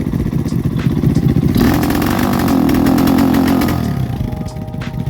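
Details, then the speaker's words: Lifan KP Mini with a swapped ZS175FMN 300cc 4-valve engine and a newly fitted FCR carburetor, on a test ride. The single-cylinder thump swells but the revs flatten: it bogs from half to full throttle, fine at quarter throttle; carb needs tuning. "you heard how it bogged out right so when I'm riding about half 3/4 to Full Throttle I need to do some tuning there"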